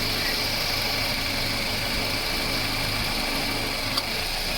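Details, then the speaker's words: Toyota Wish AC compressor after repair with new pulley bearing, new compressor oil, new belt, flushed lines and full refrigerant: steady even hiss and hum over smooth idle, no grinding; noisy before, now normal. "ไม่ใช่เสียงเครื่องนี้เครื่องยนต์ไม่มีกำลังคอมชุดนะเนี้ยโอเคเสียงอยู่ในเกณฑ์ปกติจะลองฟังครับมาฟังครั้งนะแกปรับนะความได้น้ำ"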